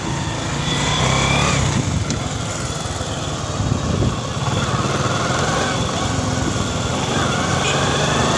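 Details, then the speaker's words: Honda XRM110 on road test in second gear after overhaul replacing the damaged second gear: even drone with no whirring helicopter-like gear noise; gearbox now healthy. "nawala na yung kanyang ah tunog helicopter goods na goods"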